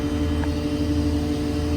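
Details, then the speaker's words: 2016 Ford F550 6.7 Powerstroke diesel, 195,581 miles, PTO engaged: BOSS BA440 hydraulic compressor switched on, steady even drone and low hum over engine, no knocks or surging; compressor running normally. "To operate the compressor, all you do, hit the compressor button here. Compressor cuts on."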